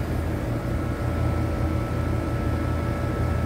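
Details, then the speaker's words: AC compressor not starting on a 100-plus degree day, only buzzing while the condenser fan motor runs; first suspected dead, the cause was a burnt wire connection. Steady fan drone with faint hum. "compressor um see the condenser fan motor on contact pull in condenser fan motor point8 but watch the compressor I hear it like making a buzzing noise"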